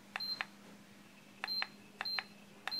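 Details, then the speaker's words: Drop-ceiling grid DC-motor fan being stepped up through its speeds (up to 9) with the remote; quiet hum with short paired beeps, four sets in three seconds, as each speed is selected; normal response. "And by using the remote control, I can increase the speed."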